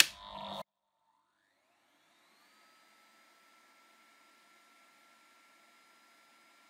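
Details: Numatic Henry vacuum cleaner on the low setting, where the PCB soft-starts it and runs it at reduced power (roughly 800–1000 of 1200 W): after a click, the tone climbs over two seconds into a steady quiet whine, running normally.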